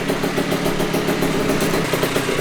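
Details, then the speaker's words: 1982 Honda MB5 two-stroke on first startup after head gasket fix, Dellorto PHBG 21mm carburetor and new Proma GP exhaust: crisp, quick, even popping idle holding steady with no hunting; healthy, never sounded so good. "the mb5 has never sounded so good since i had this thing it has never sounded so good especially on first startup"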